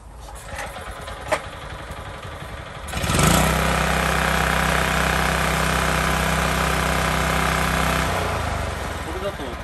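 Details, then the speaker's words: Mini tiller (small single-cylinder) after the clogged, dusty air cleaner is dealt with: catches after a pull and settles into a steady, even buzz with no stumbling; running well. "調子がいいですね"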